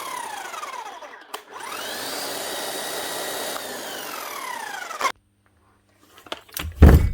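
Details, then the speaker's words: Bosch GSH11E demolition hammer, 25 years old: motor spins up to a smooth whine and winds down with no percussive blows; motor end sounds good, but the hammer mechanism isn't striking and needs a service. "okay she's doing squat but don't mind you cuz the motor sounds really good sounds smooth enough this end"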